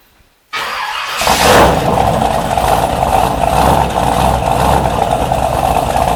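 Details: 1973 Corvette big block, after installing a new mini starter to cure clinking and slow cranking: a brief crank catches right away, quick rev, then a steady, even idle with no clicking or dragging. Normal start and idle.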